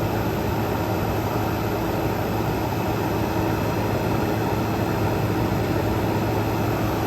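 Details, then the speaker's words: Frigidaire Gallery GHWQ103WC1 10,000 BTU dual inverter air conditioner, revived after being trashed, settling after a full-power run with the inverter compressor ramping down: smooth constant drone, steady low tone over airflow rush, nothing irregular; normal running. "so yeah this thing is definitely working very well I am pleasantly surprised going to let it ramp back down so you can see just how quiet this thing"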